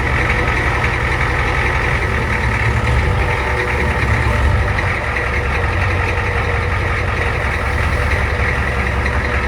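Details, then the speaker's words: Old Ford diesel homemade crew-cab work truck after its wiring was redone, idling outside: a steady, even low clatter with no misses, knocks or surging, holding a constant pace; healthy diesel idle. "well there you go in all of its Glory just kind of idling out here not too bad not too bad"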